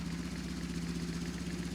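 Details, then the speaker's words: BMW R1150RS boxer twin after severe overheating and crank-no-start, following Hall effect sensor replacement, new spark plugs, cleaned air filter and new alternator belt, sensor set to baseline not yet timed: fires right up to a steady even idle, no misses. "Let's see if it runs. So my guess, it'll fire right up. Boom."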